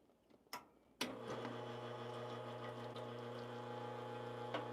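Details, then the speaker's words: Lelit Bianca espresso machine, owned since 2021, with the flow paddle varied. After a click, a steady low hum with faint ticking; less water to the pump makes less noise and the highest flow makes more. The pump noise cause is still being troubleshot. "If I'm going to have a less water going into the uh pump, watch this. Right now, I'm at the highest."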